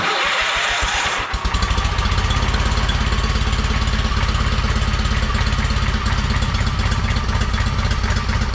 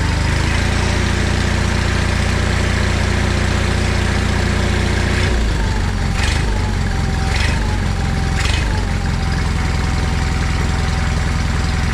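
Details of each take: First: John Deere 317 lawn tractor after engine reinstall, just started, choke off, air cleaner not yet fitted: slow loping idle about three thumps a second; idle speed needs increasing. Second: John Deere 317 lawn tractor after engine reinstall, choke off, air cleaner not yet fitted: engine idles at a steady even beat, brief speed change midway, then settles smoothly; runs healthy.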